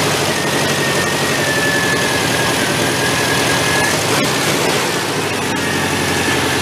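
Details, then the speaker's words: Homemade 1970s Volkswagen-engined tractor: the air-cooled engine holds a steady speed but the beat stumbles with loose clatter; running rough, owner suspects the ignition timing is off and plans to rotate it and check with a timing light. "Move that timing a little bit. It sounds like it's off."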